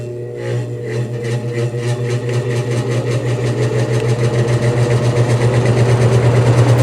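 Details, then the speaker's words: Vintage GE F11W16 box fan, only vacuumed, on high speed: steady hum climbing as it spins up with rhythmic scrape about three times a second, dry motor washer rubbing; quick spin-down, unbalanced blades, out-of-round rotor, motor runs hot (~160°F), needs oiling. "there's that scraping sound that I told you about yeah it needs some work really"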